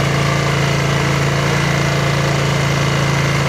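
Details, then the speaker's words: Snapper SR1433 rear-engine rider mower, sat 8 years, after carburetor rebuild: steady, even low chug at constant idle, no misses, knocks or surging; runs smooth and quiet. "So I'll end this video with, hey, we got it running. We're going to let it run a little bit until it's happy. Got to be happy about that. It sounds good, runs good, nice and quiet, smooth."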